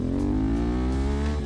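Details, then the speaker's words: CFMOTO 450MT (Ibex 450) after 20,000 km and 12 months of hard use: smooth, strong rev with an even exhaust note, no misses, no lost power and no clutch slipping; engine healthy. "There's no lost power. There's no slipping in the clutch. It's just a pure 20,000km of fun riding time."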